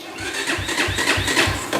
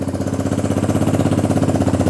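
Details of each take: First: XR150 clone motorcycle electric start before using the decompression lever: laboured starter chug, about three compression strokes a second, never catching; sluggish cranking from a really weak battery. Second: XR150 clone motorcycle, first start after carb work and a brief battery charge, enricher cable newly fitted: starts right away and settles to an even, quick single-cylinder idle with no misses or hunting; carb issue confirmed fixed.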